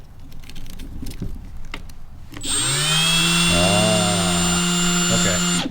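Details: Makita 18V LXT XSB01Z 3/8" variable-speed belt (finger) sander, nearly new, spinning up to a steady even whine with no clicking or rattle. The motor runs clean; the earlier clicking was traced to the belt.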